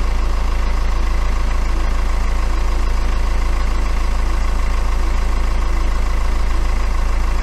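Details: BMW N47 diesel just after timing chain replacement: steady idle with an even, regular low thrum and no rattle or knock; scope shows improved crank/cam correlation.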